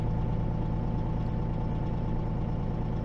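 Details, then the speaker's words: Peterbilt 379 diesel at idle, air compressor rebuilding pressure, governor cuts in at 100 and out at 120 psi: even low rumble, no knocks; normal compressor charging. "so that Governor said at 100 it'll kick on at 100 and turn off at 120. and when you're going down the road you're always using air pressure because this suspension is going up and down and it's using the error so it'll always go up and down while you're going down the road we'll let it get to 120."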